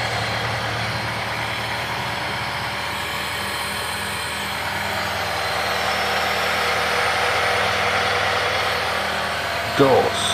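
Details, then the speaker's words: Hyundai Trajet power steering pump after its bearing was replaced: the engine idles smoothly while the steering is worked, and the earlier pump noise is gone, with no whine or growl. "Alhamdulillah teman-teman karena bunyi yang berisik di pompa booster ini sudah hilang"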